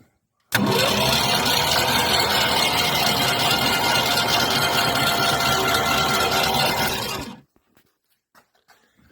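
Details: 1970.5 Ford Falcon freed after sitting 29 years with a stuck engine, cranked with spark plugs removed: fast even starter cranking about two turns a second, no compression pulses, then stops; spins freely, shows oil pressure, normal.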